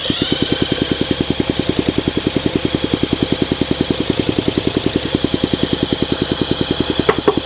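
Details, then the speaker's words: 1971 Honda SL125 single, long-stored and freed after seizure, carburetor cleaned, running rough with weak uneven chuffing barely picking up under throttle; smoke from crankcase shows heavy blow-by, owner suspects low compression. "The combustion right here is smoking out the case. I got a lot of blow-by going on. Come on. I think we got a compression issue."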